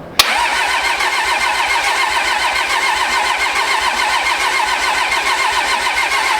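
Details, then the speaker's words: Pro street truck on first start after a Motec M141 install, rail pressure sensor not yet working: steady starter churn about seventy-odd turns a minute, never firing; no fuel supply pressure reaching the engine. "No fuel supply pressure. Correct. What our low pressure is saying?"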